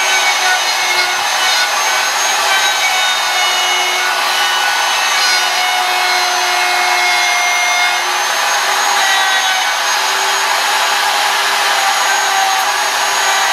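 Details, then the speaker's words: Woodworking router cutting a sign background just shy of a quarter inch deep: a steady high-pitched whine with a rough, gritty hiss under load. The bearings are going out, making it unfit for detailed profiling. "hear that sound that means the bearing's going out now I'm still using this router"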